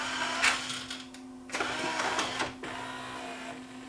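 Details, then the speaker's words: Yamaha 5-disc CD changer after load belt replacement: mechanical whirring and clicks as the disc tray moves cleanly with good torque, and the motor no longer slips or hums. "It's got lots of torque. the motor doesn't slip now. You don't hear it humming away, right?"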